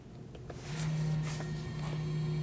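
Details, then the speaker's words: 2019-2026 Mazda 3, rear brake service finished, taking the electric parking brake out of service mode: a quiet click, then a steady low motor hum holds evenly for about two seconds, the parking brake motor cycling normally. "Don't let go of the accelerator pedal or the parking brake switch until you hear the motor stop."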